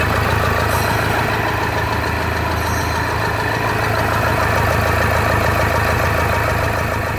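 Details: Toyota Hilux 2015 diesel first start after decarbonization, engine partly assembled: loud steady clatter at idle, even rhythm, no misfire or knock, louder only from missing acoustic cover.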